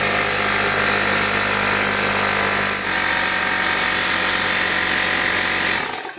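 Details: Old Craftsman (Porter Cable) air compressor after air-leak repair, tested before final assembly: steady, even high-pitched pump whir, no hiss or knock, cutting off cleanly at end; running normally.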